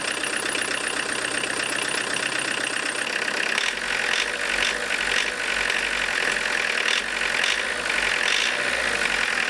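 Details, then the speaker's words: Diesel with Lucas DPC injection pump, injection timing set over 1 mm advanced: hard rattly tractor-like clatter growing harsher with revs, running even harder, smoke still acceptable; over-advanced timing. "Стал еще жестче работать. Но по дыму вроде еще ничего."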